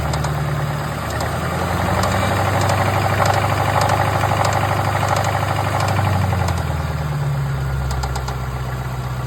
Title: What is that ticking noise ?